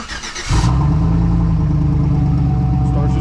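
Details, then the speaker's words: 2009 Chevy Tahoe, engine rebuilt about 9 months earlier, with a stage two truck cam, after fixing low oil pressure and smoke issues: brief crank, catches at once, settles to smooth even idle on cold start, healthy. "now this is also uh TR stage two Truck cam doesn't sound much different but we'll let it warm up then we'll bring it back"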